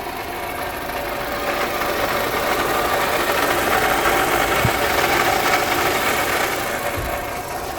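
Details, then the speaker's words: Toyota RAV4 4-cylinder at steady idle: rough, gravelly grinding over the engine without a clear beat from a worn water pump bearing; water pump to be replaced. "so that gravelly sounds coming from the water pump so we're gonna go ahead and replace that water pump"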